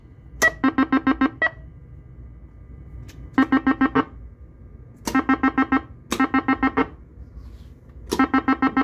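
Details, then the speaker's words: Gottlieb Countdown pinball using Pascal's Flippp P1-X4 3-tone sound board replacing the original sound board: bright chime bursts of six or seven quick tones in repeated groups, clean and steady; normal sound output. "so hear that we do not need to mess with the original sound board that is freaking awesome"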